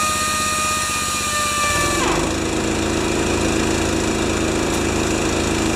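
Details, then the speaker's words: Honda-powered wheelbarrow air compressor 'Jenny 1' after an oil change, adjustments, new Kevlar belt, new gauge and output switch. After a brief whistle it settles into a steady, even drone with the pump chugging smoothly: running fine. "Oil change, adjustments, new belt, Kevlar belt, and she runs like a Swiss watch."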